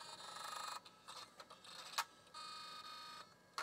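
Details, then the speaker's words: LS-120 SuperDrive powered directly from a bench power supply, no computer attached: quiet chirps, short whirs and sharp clicks with no steady spin; eject works but strange sounds, normal sounds unknown, cause unclear. "okay well I think the eject button is working so that works um but it was making strange sounds"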